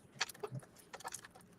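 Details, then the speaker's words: Cassette book-reader toy robot being shaken: short bright jangling clatters each shake; a loose part is rattling inside the casing ("death rattle"), cause not yet found. "Oh, I don't think it's supposed to sound like that. got the death rattle."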